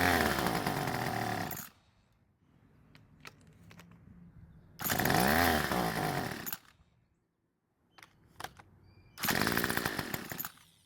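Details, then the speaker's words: Craftsman two-stroke trimmer using its electric start option: engine buzzes in short bursts and dies when released; it runs only while the starter is used, not on pull rope, later traced to an air leak at the starter cover seal. "well for some reason using the electric start was a lot more promising than using the pull rope alone which is a clue as to what's wrong with this engine at least we know that it does start and run but it only seems to work when using the starter"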